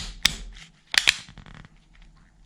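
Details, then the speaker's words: Bicycle rear right-hand shifter that locks up after a few gears, with the derailleur already adjusted: a few sharp, dry, irregular ticks as the lever is worked in a quiet room; owner suspects the shifter is worn out. "na prawej manetce tutaj od tylniej Zobaczcie ona jak przełączamy to słychać takie tykanie"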